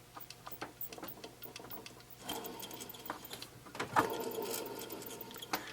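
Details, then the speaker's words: Alternator removed from a 2002 Chevy Avalanche 1500 5.3L, spun by hand, gives uneven dry ticking and gritty rasping from a dry, failing bearing. The truck had flashing lights and a worn belt, and the alternator was replaced. "your bearings slacking it we goes up and down dry bearing and repping out-of-staters there's my problem"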